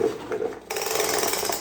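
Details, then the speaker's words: Craftsman leaf blower, reassembled after its missing pull rope was replaced: quick ratcheting rasp as cord pulls out, clean click and smooth rewind; recoil starter engages and retracts properly. "pool start works good trigger works well everything seems to work okay"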